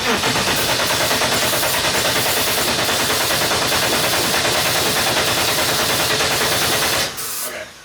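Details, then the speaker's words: BMW E30 barn find that sat 10 years, engine with intake removed, brake clean sprayed in with no fuel pump hooked up: even starter churn about three beats a second under heavy hiss, cranking but never firing. "Nothing. Over the next couple days, we kept troubleshooting the motor, but it still wouldn't start."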